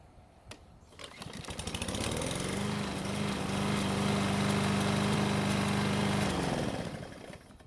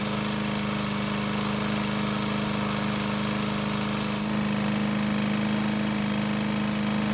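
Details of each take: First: Single-cylinder mower after cable repair, oil change, blade sharpening and clearance check: hot engine catches after a brief pull, settles into a steady even run, then shuts down cleanly; healthy running. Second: Worn free pickup walk-behind mower, single-cylinder engine test-run with flywheel brake bypassed by zip tie; started after a couple of pulls, steady high-pitched drone faster than normal speed, engine sounds tired.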